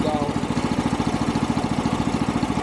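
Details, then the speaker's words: Chinese DH13 420cc single-cylinder track dumper, first run after sitting over a year, idling while warming up for an oil change. Even putters at roughly a dozen pulses a second hold a steady idle with no hunting or misfire. Normal idle. "Now, now it actually idle. We'll go ahead and get some heat up in the motor"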